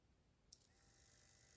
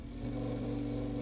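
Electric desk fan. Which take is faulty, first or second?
second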